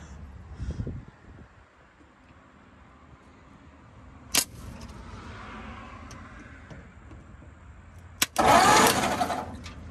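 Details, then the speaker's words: 1950 Ford flathead V8 truck after sitting about 40 years, starter solenoid suspected bad and bypassed with vise grips: brief cranking bursts, turning over freely and evenly with firm compression pulses. She whirls; pretty good compression; rust is coming out. "So, woo. Oh Lord. She whirls."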